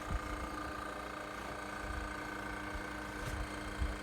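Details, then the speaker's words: 1932 Westinghouse refrigerator running just after being plugged in and switched on: a steady low hum with a faint even fan whir and no knocks or rattles. It runs smoothly and normally. "You hear it kicking on. You hear the fan spinning."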